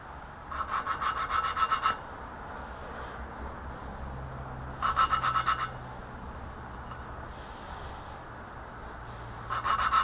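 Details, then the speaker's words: BMW E30 M10 cylinder head, valves lapped by hand: gritty back-and-forth rasping strokes, tone changes as seat mates; exhaust valves in much rougher shape than intakes; valve lapping. "You can hear the tone change. So this one's not quite. The exhaust valves were in much rougher shape than the intake valves on this motor."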